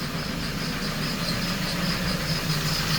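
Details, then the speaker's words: Warm idle after a water pump replacement and coolant bleed, no leaks: a thin, high chirping squeak in fairly regular bursts, with pulleys singing. The owner may need to upgrade a pulley; the cause is unconfirmed. "got a couple of pulley singing might have to upgrade a pulley maybe maybe not but hopefully that noise will stop here in a bit"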